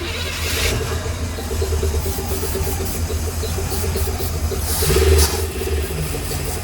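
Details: Carbureted box truck "Big Blue" on ether: repeated cranking with brief catches and flares that die away; fires only momentarily and won't keep running, then fuel appears in the boosters.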